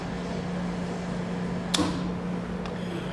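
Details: Lathe coolant pump motor switched on with the coolant control switch: a steady low electrical hum under a single switch click, with no rattle or grinding; normal running.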